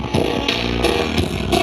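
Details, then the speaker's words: Monster 210 active speaker playing music over Bluetooth before repair: harsh, crackly "krek-krek" sound breaking up on each beat instead of playing clean. "Dan ini sudah ada musiknya, suaranya tidak jernih sama sekali teman-teman ya. Nah seperti itu teman-teman ya, suaranya krek-krek seperti itu ya."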